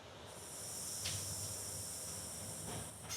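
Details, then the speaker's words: 1981 Ford that had an engine fire: brake booster tested by sucking through its vacuum hose, steady air rush heard; diaphragm dry-rotted and cracked, or possibly fire-damaged, so it can't hold vacuum and power assist fails. "I don't know if you can hear that air rushing inside, but when they get old and the diaphragms get um dry rotted, they crack and then they let air through and then they can't pull a vacuum and they they don't the power assist quits working."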